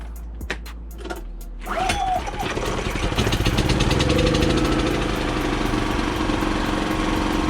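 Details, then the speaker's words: Kipor IG3000/IG3500 inverter generator, first start after fitting a Champion inverter board: several pulls, then catches and runs slightly unevenly before settling to steady drone; rough start, suspected flooding from many pulls. "there we go guys it started a little shaky because I pulled it a thousand times and it kind of flooded it I think"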